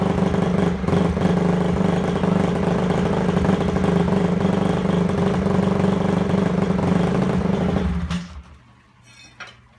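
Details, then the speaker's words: Honda CRF250 just reassembled, started on choke: single-cylinder idles unevenly several seconds then sags and quits with no throttle input; idle dying out, cause not yet found. "it's running fairly ok because hey you can hear this dies out I'm doing nothing to it"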